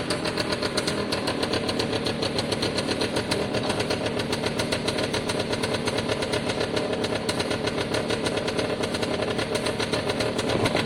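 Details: Piaggio Diesis 100cc two-stroke scooter idling after the exhaust check, with a small exhaust hole found. Crisp, quick popping idle holding steady with no stumbles or knocks; sounds great. Normal idle.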